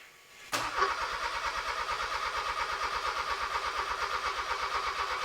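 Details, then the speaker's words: Honda K24 engine swapped into a sandrail, first start attempts after new engine harness and ECU install: starter cranks steadily with occasional pops but never catches; fuel pressure holding 55 psi, still no start, closest yet. "Still no start. It's so close, man. That was the closest it's been. >> It's popping. It wants to run."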